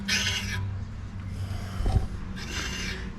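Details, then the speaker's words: Truck wheel turned by hand with the tire off: dry, raspy scrape in bursts, brake pads rubbing; dust shield suspected rather than tabs on the shoes, not confirmed. "now you hear the typical brake pads rubbing I think it might have been with the dust shield not little tabs on the shoes"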